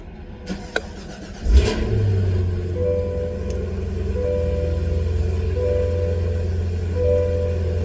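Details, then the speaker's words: Supercharged V8 with a manual transmission and 138 miles, before it gets a cam, ported heads and a ported blower: it cranks briefly, catches and settles into a steady, even low idle with a mild burble. A normal start. "Quiet for now. I mean, it's still got some tone to it."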